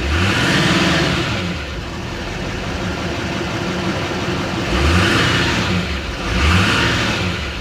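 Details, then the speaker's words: Salvage four-wheel-drive turbo pickup with stock exhaust and front-end damage at a Copart yard, no check lights: several revs with a clear rising turbo whistle each time, smooth; healthy revving with turbo spool. "yeah it's got a regular exhaust on it too you can hear that turbo spool up though"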